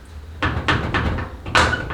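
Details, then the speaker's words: 1956 VW Beetle with original door seals and a broken front hood latch handle: short creaky squeals and dull thumps as the hood is worked by hand. Hood latch area suspected. Body squeak. "but I think most the squeak I I get from the car is from this listen"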